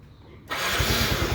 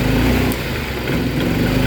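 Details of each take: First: Yamaha Mio M3 scooter that would not rev, was sputtering and lacked power, after ECU replacement: low idle, then crisp clean rise in revs with an even firing beat and no stumbling; now normal. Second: Yamaha Mio M3 scooter: idles at low rpm but bogs, stutters and has no power when throttle is opened; fuel spray from the injector found weak, ultimately traced to a faulty ECU.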